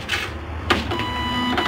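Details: Epson LX-310 dot-matrix printer powered on with the cover open, after a foreign object blocking the roller was cleared and the ribbon refitted: a short carriage-motor whir and soft clicks as the head homes, with no grinding. Normal initialization.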